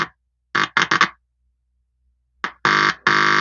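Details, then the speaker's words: Intex home theater amplifier after SMPS repair, speaker on output, volume full: touching the input point makes the IC emit a harsh buzzing hum, showing this channel passes signal and works. "अच्छा, आपको humming sound इसका सुना देता हूँ, ये proper signal work कर रहा है कि नहीं।"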